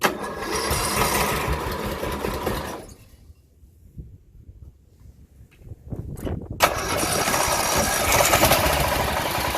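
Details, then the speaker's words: 17.5 hp Briggs OHV single-cylinder mower engine, being swapped out: runs steadily but with a deep, repetitive bottom-end knock, a really bad rod knock. "You can kind of hear that knock, knock, knock, knock, knock, knock. Okay, well, I couldn't shut it off. I had already ran my wires, but you could hear that. That was a really bad rod knock, knock, knock, knock, knock, knock, knock."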